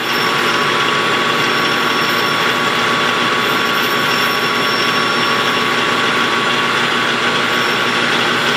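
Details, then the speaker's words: Lathe taking a light facing cut on a model-engine flywheel rim gives a steady high-pitched singing over the cutting hiss, pointing to tool chatter. "I don't like it singing a little bit here. I don't know if you can hear it or not, but it's got a high-pitched sing here a little bit."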